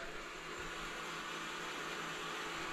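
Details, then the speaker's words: Plow truck with throttle body injection, in-tank electric fuel pump run directly on 12 V: a faint thin, strained whine with the engine off. It makes only 10 psi even with the line restricted; the pump is weak and needs replacement. "that's not the way an electric fuel pump should sound"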